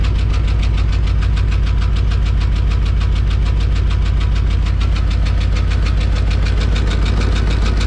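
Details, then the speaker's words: 1993 Ford Bronco just after transmission cooler lines replaced, checking for leaks at idle: fast, even ticking of about three a second over a strong low idle, steady with engine speed; a ticking hydraulic lifter, idle issue persists. "I thought I fixed that idle issue Mary oh you guys can really hear that lifter tickin"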